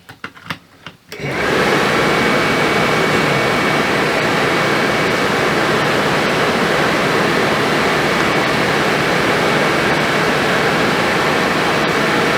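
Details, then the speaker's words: Suburban RV furnace after replacing a faulty gas valve that passed no gas, on 12 V: a few soft clicks, ignition, then a steady, smooth blower rush; normal startup and ignition. "You hear it ignite? Yeah, it lit. Smells good, sounds good."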